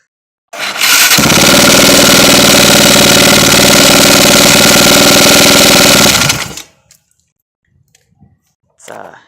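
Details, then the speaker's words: 2001 Raptor 660R single-cylinder starts and runs with a hard, horrid rhythmic knock of about four per second over a rough exhaust, and it smells bad. Engine knock; the owner suspects the piston or top end, and a rebuilt motor will be swapped in. "but the knock is absolutely horrid it is not a good sound at all"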